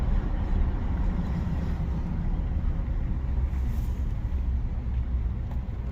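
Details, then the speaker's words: 2018 Ford F-150 5.0 with 8.8 rear axle and electronic locker, rebuilt after water damage caused bang when reversing: on test drive, steady road rumble and tire hum, no whine, clunk or binding from the rear; quiet differential. "Yeah, no more binding up. Everything super quiet. No noise from the rear end."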